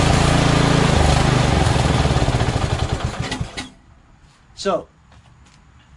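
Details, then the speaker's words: Small mower engine on its original carburetor, started on choke: it pulses unevenly about three beats a second, then sags and dies. It is surging. Owner suspects a dirty carb with a blocked passage, since it runs well with the choke nearly closed. "it runs good when the choke flap is almost closed which means that they're this carburetor is dirty and one of the holes are uh are blocked up"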